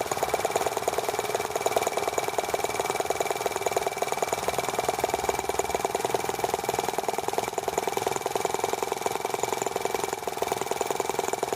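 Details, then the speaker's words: T26 model engine on a cold, wet day after unkinking a fuel line that touched the flywheel, plug arcing when humid: fast, even high-pitched buzz with no misses; running cleanly now. "Yeah, having removed the kink in the fuel line, that will fix a lot of problems."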